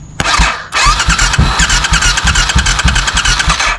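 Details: 20-year-old barn-find Suzuki Intruder V-twin motorcycle, 18,000 miles, in neutral, starter solenoid jumped directly: starter turns engine in steady rhythmic chugs for about three seconds but it never fires; cranks, no start.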